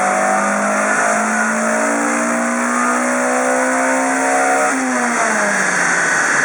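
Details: Toyota Celica T20 with 4AGE 20V Blacktop engine, 1700 miles after rebuild, stock exhaust with catalytic converter, on the dyno at full throttle: note climbs cleanly and steadily, drops on release; healthy pull, no misfire.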